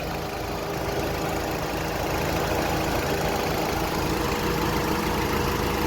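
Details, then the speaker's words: 2006 Honda Accord coupe after replacing the AC clutch whose magnet failed from age and overheating: steady even idle with a smooth whir, no squeal, rattle or grinding; normal AC compressor clutch and pulley. "spinning smoothly no noise it's time to close it up and go for a test drive"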